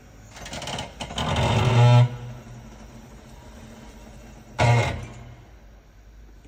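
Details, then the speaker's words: Mitsubishi Outlander 3 PHEV pulling away in reverse: two short creaking squeals from the aftermarket rear brake pads that replaced the original Akebono pads; the handbrake also holds weakly. Cured by softer Otto Zimmermann pads. "Вот такая штука. Это колодки поганые."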